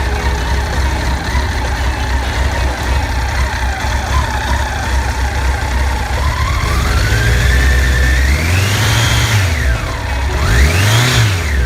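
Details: Honda CBR1100XX after cam chain tensioner replacement: smooth even engine note climbing and falling cleanly through several revs with no rattle or ticking; running healthy.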